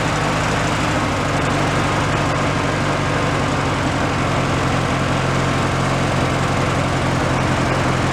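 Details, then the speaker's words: Free Craftsman riding mower, single-cylinder, given away as non-running, running on its own old fuel: steady but slightly uneven, lumpy beat. Owner thinks the carburetor just needs cleaning; not confirmed. "yeah carp just needs to be cleaned decent running on its own fuel whatever that is for fuel"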